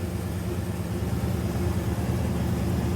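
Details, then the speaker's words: 1971 Ford Highboy pickup after carburetor rebuild and choke reinstalled correctly: deep, even rumble with steady beat and no stumbles at high idle on choke; smooth idle, charging and oil pressure fine. "You can balance a quarter on top of that engine right there. Gonna be high idle."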